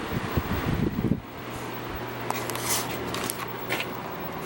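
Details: Kenmore 6,000 BTU low-profile window air conditioner made by LG, probably from 2004, just after a thorough cleaning and condenser wash: handling clicks, then a steady low hum with even fan rush and no rattles; running normally.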